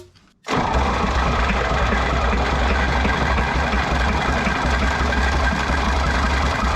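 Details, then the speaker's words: 1960 John Deere 1010 diesel cranked hard on starting fluid with a smoking starter and a cold block: steady, even churning for seven seconds that never fires; owner suspects the injection pump is 180° out; cranks but will not start. "Let's uh let's hit it with some starting fluid and see if this thing will pop off spinning this fast it certainly should"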